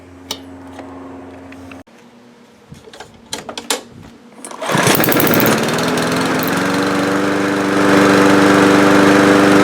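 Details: Powermore 139cc single on a lawnmower, previously hard starting, popping and low on power, after cold valve lash adjustment: a few pulls, then catches and settles into an even, steady run; normal running.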